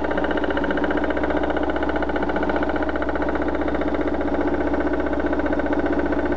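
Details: BMW 316i with M43 engine knocking at idle: an even, fast ticking knock, about three per second, over a steady idle, source unclear by ear; owner wants to identify it before opening the engine.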